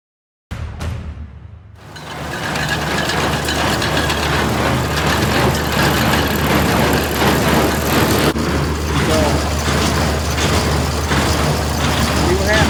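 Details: New Holland 326 square baler plunger, tested with old junk hay after new hay dog stops were installed and a broken spring replaced: a steady chug of about four beats a second over tractor hum, with no banging against the hay dogs. Normal running.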